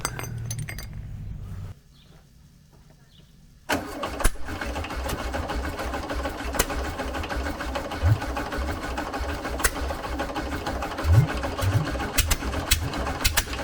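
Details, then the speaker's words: VW 1303S Beetle, rebuilt 1915cc engine, alternator belt fitted: starter turns engine steadily in long cranking bursts with odd pops, never catches; ignition timing badly out, to be reset to 7.5° BTDC baseline. "all right our timing was miles i was okay"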